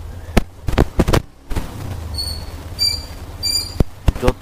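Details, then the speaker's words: Hero Xtreme 125R motorcycle: short high-pitched squeals from the rear drum brake over low engine rumble, every time the rear brake is applied. "একটু মনোযোগ দিয়ে বাইকের পেছনের disk থেকে যে sound আসে মানে পেছনের ড্রাম থেকে সেই সাউন্ডটা একটু শুনুন তাহলেই বুঝতে পারবেন।"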